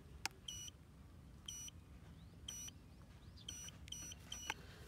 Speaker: now we can hear the remote it beeps reminds you to remember to set home point long press this button for three seconds